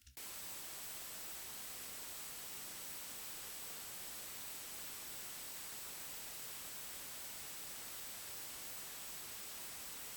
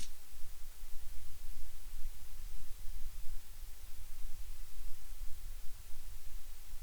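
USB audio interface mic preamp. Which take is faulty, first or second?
second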